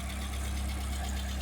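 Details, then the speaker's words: 1979 Fiat after spark plugs gapped 0.025, new fuel pump, regulator and relay: steady, even low idle with smooth hum, no knocks or misses; good idle rpm. "RPMs look good. Sounds great. Wow."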